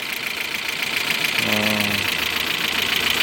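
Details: VW Passat B5 1.8 petrol engine idling with fast steady ticking clatter, sounding like a diesel, from tapping hydraulic lifters; recorded before an oil-system flush and cleaning.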